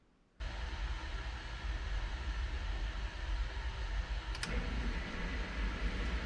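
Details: New 1/3 hp sump pump with a Quiet Valve check valve, replacing a worn 20-year-old pump with bad bearings: steady low hum starting abruptly, one faint click midway, no banging; quiet normal operation after replacement.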